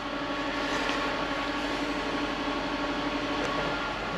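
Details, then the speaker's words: Land Rover, jump pack removed, voltage falling from 11.3 to 8 volts with faults appearing: steady mid-pitched alternator whine over idle, failing alternator not charging. "Alternator's kind of whiny. It's not happy. It's whining."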